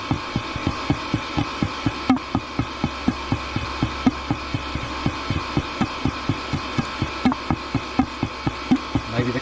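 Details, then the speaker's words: Diesel heater run on diesel mixed with filtered used engine oil, during shutdown: uneven popping and glugging about twice a second, a wet gurgle; combustion chamber flooded with fuel, found in air inlet pipe, gummed up from burning oil; fixed by cleaning and replacing gaskets and gauze filter. "it's going to take a few minutes to shut down there it [Applause] goes sounds like liquid in there"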